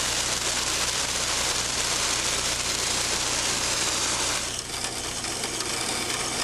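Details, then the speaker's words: Cavitation demonstration rig, control valve with inlet pressure raised from 100 to 150 then 200 psig: loud steady crackling hiss like gravel rushing through pipe with a low hum, about 108 dBA; severe cavitation, rising noise and vibration. "notice as the inlet pressure is increased from 100 to 150 psig and then to 200 psig that an increase in the level of noise and vibration is experienced"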